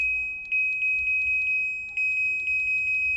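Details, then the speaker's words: Sharp ES-JN08A9 8 kg automatic washing machine that would not respond to controls, fixed by reseating a loose plug connector: clean high single beeps, about a dozen in quick succession as buttons are pressed; the controls now respond normally. "Okay. Nagco-control muna siya. Oh 'di ba easy."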